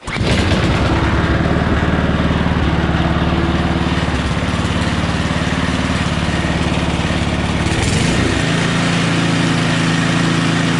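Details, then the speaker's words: Small engine after carb cleaning, leak-down test showing about 10% loss (earlier no spark noted); fires after one prime and settles into a steady, even putter with no misses or knocks, running really good: normal running. "turn the gas on prime it like once this thing actually runs really good I'm surprised this"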